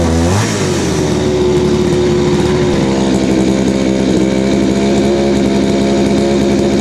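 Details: Craftsman 3.7/Poulan 3700 two-stroke chainsaw right after fitting a new eBay carburetor and fuel line: quick rev flare, then it hangs at a fast, high idle and bogs on throttle. The carburetor is out of adjustment, to be set with the L, H and idle screws.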